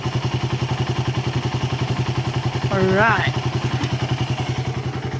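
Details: Suzuki Raider 150 carb after loss-of-compression repair (leaking intake valves, valve seals replaced, crankcase stud threads fixed): single cylinder thumping evenly at about three and a half beats a second, no misses; runs properly.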